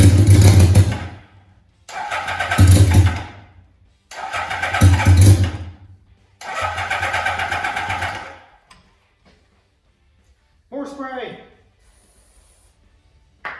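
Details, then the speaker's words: 1982 Suzuki GS650 Katana after carburetor cleaning: four bursts of about two seconds of even cranking that never catch; owner suspects it isn't picking up fuel, and weak batteries are also draining. "i can get it to pick up the gas then it should run"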